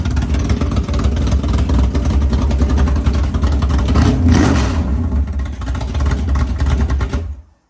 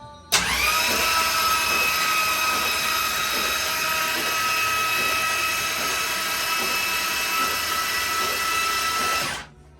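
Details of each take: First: 500ci Indy Cylinder Heads big-block Mopar in a 1969 Barracuda, idling around 1000–1100 rpm: a choppy, loping big-cam idle, then a clean rev and shut-off. The engine sounds healthy. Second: 500ci big block Mopar in a 1969 Barracuda, plugs removed, cranking to prime and build oil pressure before first start: steady starter whine with slow compression pulses about three per second. Slow cranking.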